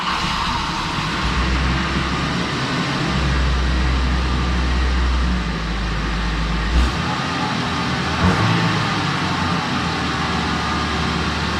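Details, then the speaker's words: Mazda B2300 work truck after tune-up (new spark plugs and wires, new intake manifold and valve cover gaskets), warmed up after initial oil smoke cleared: steady even drone with no misses, no check engine codes, running smoother with better drivability, though still slow. "no check engine codes it's running a lot smoother and the drivability is a little bit better"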